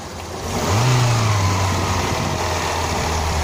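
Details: Lada Kalina 2 petrol engine, hot at about 90 °C, revved once: knock rising with revs and under load, fading as it settles; absent when cold. Suspected hydraulic lifter, actually caused by the alternator belt, fixed by replacing it.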